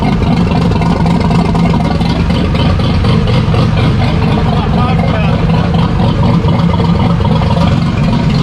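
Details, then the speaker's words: Drift car's freshly assembled replacement engine: loud, choppy running with irregular cracks, big pops and bangs from the exhaust over a rough low rumble, which pushed the slip-joint exhaust apart; oil pressure good. "Damn, those big pops and bangs pushed me exhaust out because it's just a slip joint and I just push in."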